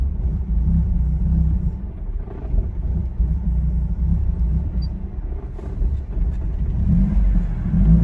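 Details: 2002 Ford Focus SVT rough idle: low uneven loping rumble; engine dies after warming about 15 minutes unless throttle pressed, despite new fuel pump, filter, injectors, plugs, wires, MAF, PCV, IACV, O2 sensors, cleaned throttle body; cause unclear.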